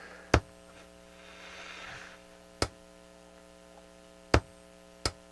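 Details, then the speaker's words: Delco GM 34BFM1 AM/FM car radio under repair, drawing almost 70 watts: steady buzzing hum and hiss with four sharp pops, an oscillation at switch-on and static from one speaker; a squeal remains with the right speaker disconnected. Cause not confirmed. "it's almost kind of like i hear an oscillation when i first turn it on so we're getting static out of one speaker"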